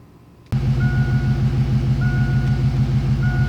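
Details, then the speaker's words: LS-swapped Fox-body Mustang during an HP Tuners tune, in gear with idle control mostly disabled: engine starts and settles into a fast, steady, lumpy idle that won't come down; idle too high, car trying to drive itself; pulling timing may lower it. "this is basically as low as the idle will go in gear with the idle control basically disabled for the most part and it's still too high"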